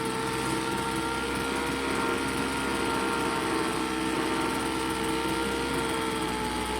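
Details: Craftsman two-stroke leaf blower after no-start repair: high-pitched buzz at fairly steady speed with a thin whine; low-speed mixture screw set by ear for idle, then high-speed screw adjusted at full throttle for maximum rpm.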